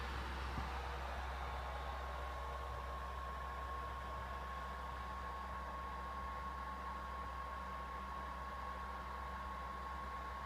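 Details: PS4 console idling on the MGSV title screen, doing nothing, yet its cooling fan spins hard with a steady loud whoosh and a faint fixed tone; loud fan noise at idle.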